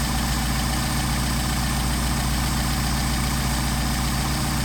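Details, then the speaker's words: Mercedes 190SL with Solex carbs from a 39,000-mile car, rebuilt with new throttle shafts and trued surfaces, after idle mixture screw adjustment: smooth, even low idle up to about 800 rpm, no stumble or hunting. "Now you notice we're up to 800 RPM. So that's what adjusting the idle mixture screw will do for you."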